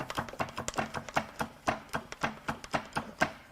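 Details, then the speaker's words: 2015 Volvo XC60 T5 2.0L engine, dead at about 100k, turned over by hand with spark plugs out: sharp, evenly spaced metallic clacks; a loose rod is suspected but not confirmed. "all right now we're going to go back turning the engine over and see how that feels without plugs in it maybe there is a little loose Rodney in"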